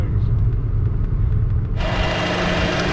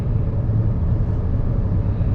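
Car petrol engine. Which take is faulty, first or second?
first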